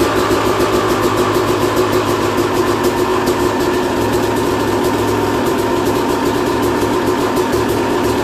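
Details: 2001 Yamaha YZ250 two-stroke, first start after a new top end, jets and service: crisp, even burble with steady raspy exhaust and no misfire or rattle; engine runs clean and healthy.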